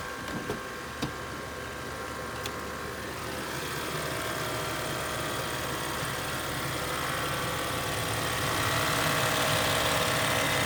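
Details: 2013 BMW X5 idling, humming or buzzing under the hood whenever A/C or heat blower runs, swelling as the blower runs harder.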